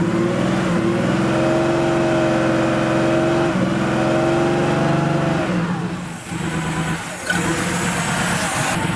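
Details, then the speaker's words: Porsche 3.2 Carrera with its injectors rebuilt and reinstalled: revs surge and hunt at and off idle, then sag and the engine dies, restarting easily. Cause unknown; the fuel pressure regulator is to be checked next. "it's interesting we've got a little bit of surging going on at idle whoa that was interesting that's interesting just died hmm didn't expect that"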